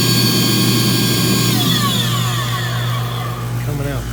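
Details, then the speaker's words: Battery wet vacuum clearing an HVAC condensate drain line, battery almost dead: steady motor whine sags in pitch and keeps dropping as the motor slows; owner suspects the motor has about had it. "I've got a almost dead battery here, and sounds like the motor in this thing has about had it."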